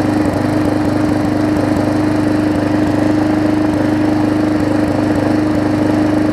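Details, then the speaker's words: Briggs & Stratton Classic engine swapped onto a Hyper Tough deck with the gas tank from a Weed Eater 22" mower, after refitting the cover: steady, even putter with constant pitch, no misses or knocks; runs smoother than the old engine. "now we'll see if it runs it runs better than the old"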